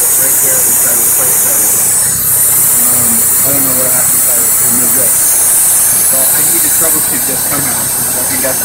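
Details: 1994 Mazda MX-3 at idle with the intake air hose removed: loud, constant hiss that seems to come from the carburetor/throttle area. Plugging the intake hoses does not stop it; source still unknown.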